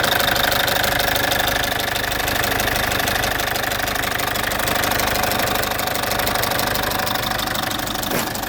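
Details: Citroen C5 2.0 HDi 100 kW diesel at idle: loud, steady fast tick about three per second through the clatter; owner suspects the injector area, unsure. Injectors repaired, new piston rings, valves and valve seals about 15,000 km earlier.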